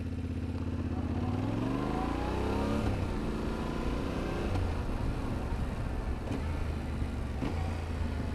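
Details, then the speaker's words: Motorcycle demonstrating smooth upshifts as the goal for rookie riders: revs climb cleanly and drop briefly at each change about every two seconds, no clunk; smooth, well-timed gear shifting. "So you have your starting point, and you can practice your shifting, make it as smooth as possible so that you can start shifting like this."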